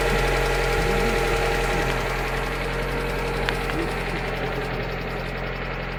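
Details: Lada Granta Sport at idle: steady, regular tapping at about four per second over the idle; engine knock of unknown origin.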